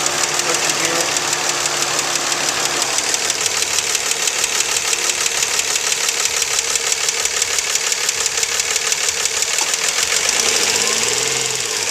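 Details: 2004 Nissan Maxima 3.5 VQ, warm after an hour of running, fan off, hood open. Timing chains and tensioners were replaced three weeks earlier. A fast, sharp ticking at idle picks up when revved. The owner suspects lifters or valves, but it is unconfirmed. Valvetrain ticking.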